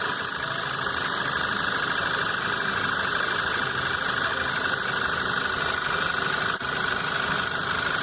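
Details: 2011 VW Jetta 2.0 TSI brought in for an odd noise and power loss: steady, even idle with a light fast injector tick and no stumble or knock; battery shows 12 V and no fault codes were found, so the engine sounds healthy.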